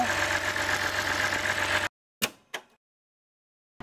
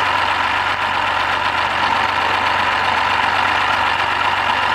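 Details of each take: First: BMW 528i with N52 straight-six after gasket and part replacement: steady, even idle with no grinding or knock, a short break with two handling clicks, then the same smooth run; healthy. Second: BMW 528i with N52 inline-six, 120,000 km, modified variable exhaust, bought unseen: idling with a rough, gritty grinding over a steady low hum, grinding from inside the engine; unclear yet whether full engine failure or partial repair.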